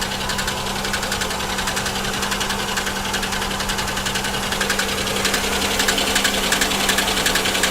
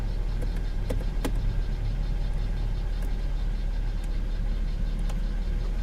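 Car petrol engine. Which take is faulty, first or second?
first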